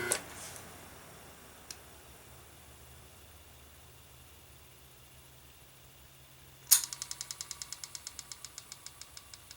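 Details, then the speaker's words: 1976 Westinghouse front-load washer motor Q174461 (3-belt), switched off after running: quiet coast-down, then a sharp click and fading ticks as the centrifugal switch drops the start winding back in just before it stops; normal behaviour. "Now, when I turn this off, you can hear the uh start relay drop back in. So, I'm going to go ahead and turn this off. And you can hear it when it spins down. The start winding will kick in just before it dies."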